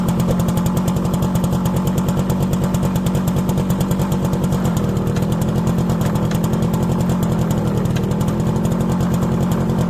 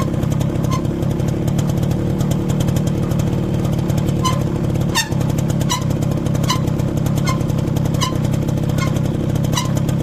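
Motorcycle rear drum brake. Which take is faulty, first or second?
second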